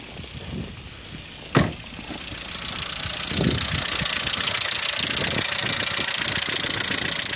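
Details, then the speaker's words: Audi 80 B3 at idle: fast, fairly regular light knocking, about three to four per second, over a hissy engine, easing as it warms; owner suspected lifters or the oil pump, and teardown found scored bearing shells from low oil pressure caused by the pump. "Либо масляный насос не отрабатывает свое, не создает давление."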